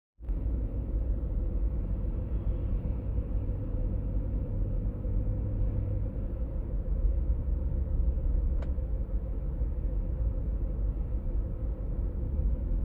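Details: 1996 BMW E39 523i automatic (pre-facelift): steady low drone under road noise while driving, heard at 50–60 km/h and 70–80 km/h, shifting partway through; humming source not yet found.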